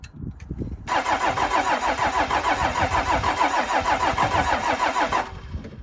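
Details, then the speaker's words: 12-valve Cummins tow truck after melted-piston repair with cheap pistons, bleeding injector lines: steady cranking about three turns a second for four seconds, never fires; owner suspects air still in fuel lines. "I really thought it would go I'm going to hook up the battery charger and give it 20 minutes to charge the only conclusion I can come to is there's more air in the line"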